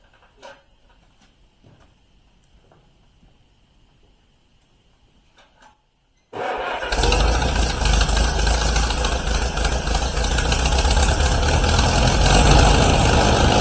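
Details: 1953 Allis Chalmers WD45 gasoline tractor, first start after a year-long rebuild with new head gasket, radiator and hoses: quiet, then fires and settles into a steady, even run with no knocking; normal running, though coolant leaks at manifold studs and head gasket.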